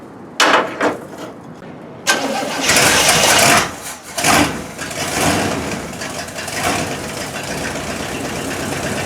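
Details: 1972 Cadillac Miller-Meteor hearse V8, sitting abandoned since 1995, first run in 29 years on 91-octane poured into the carb bowl: brief cranking, catches after about two seconds, revs a couple of times, then settles into a steady idle.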